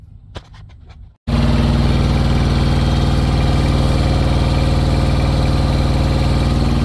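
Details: Truck APU diesel after retightening its squealing belt: the engine catches and settles into a steady, even idle with no belt squeal, even when the compressor kicks in.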